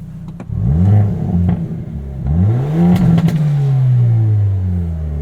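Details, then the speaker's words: 2022 Hyundai Elantra N, 2.0 L four-cylinder, 6-speed manual, N mode pressed opening the exhaust valves: louder revs rising and falling with aggressive crackling pops and bangs on overrun; normal valved exhaust behavior. "So if we press N, you can hear the exhaust gets a little bit louder. Those valves open up, and we actually get some pretty aggressive pops and bangs out of this."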